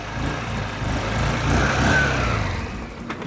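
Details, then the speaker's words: Wolf EX-150 scooter, GY6 157QMJ 150cc four-stroke single, hard to start: with idle turned up it fires but idles lumpy and uneven, then sags and dies after about three seconds; owner suspects clogged air filter (critters nested in airbox), unconfirmed. "And it dies on me. This has gotta be it. This gotta be all it needs."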